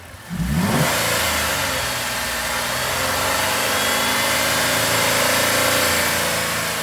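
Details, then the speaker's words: Petrol engine revved to 3000 rpm after two 40-minute sludge-cleaning flushes with Dynamic Engine Cleaner: picks up cleanly and holds a steady, even roar, the earlier knocking now completely gone. "Prácticamente se le quitó el golpeteo al 100%. Ya no se escucha."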